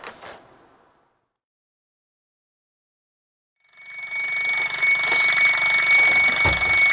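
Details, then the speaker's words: Mamod SR1 steam roller (c.1963–66) running on a rolling road. After a quiet pause, a sharp hiss with a thin steady whistle builds and holds; the safety valve seal failed under pressure and is venting. "If you can hear me over the whistle, which isn't the whistle, it's the safety valve. The seal's finally gone pop under pressure, so we'll sort that out when she's cooled down after this."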